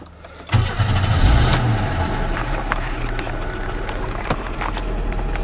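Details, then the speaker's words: 1995 Pontiac Grand Prix SE coupe, 3.1L V6, automatic, cold start: catches quickly, rough idle with hollow knocking piston slap, said common for GM of this generation, clears after a few minutes, no effect on performance. "so it starts right up and right away you can hear that engine noise that's what's called piston slap which which is absolutely common for GM vehicles of this generation it'll clear up after a few minutes and it doesn't affect the performance of the motor at all"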